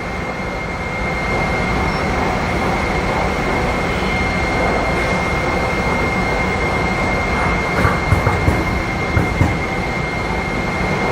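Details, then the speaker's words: HIP T-Series high-pressure pump on a test bench after an air cycle, motor running at operating pressure and holding it: loud steady rumble with a faint high whistle, no surging or knocking; normal running under pressure. "At this point, the system's pressurized, and we're really just going to maintain that pressure."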